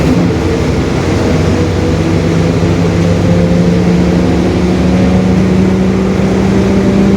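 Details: 2021 Marcopolo Torino S stretched bus on a Mercedes-Benz OF-1721 BlueTec 5 chassis; a steady low hum over the diesel drone that rises in pitch as road speed builds. The differential is growling (differential whine).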